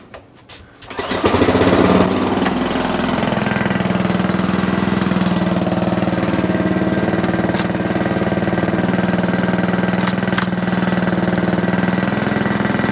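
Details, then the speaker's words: Sovereign lawnmower, small engine, running after gunk cleaning: an even, fairly low run of about four beats a second that never climbs; still not revving as high as it should, carburetor bolt air leak suspected. "okay still not revving as high as i would like"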